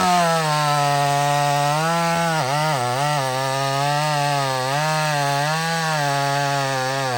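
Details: Old Mac chainsaw after the fuel mixture was richened: it holds a steady high buzz, dips briefly and recovers cleanly without sputtering; running right.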